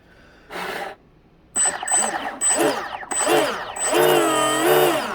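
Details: Used RC boat after its bushings were greased and the drive tightened: short repeated bursts of motor whine swooping up and down in pitch, clean and even with no rattle. The drive spins freely and healthy.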